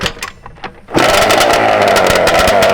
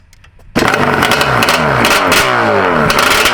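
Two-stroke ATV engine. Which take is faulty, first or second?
first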